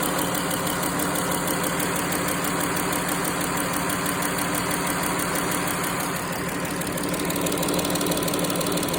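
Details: Pentastar 3.6 V6 at steady idle with the engine cover rocking: a light, quick tick about three times a second rides on top; a top-end tick, source not yet pinned down.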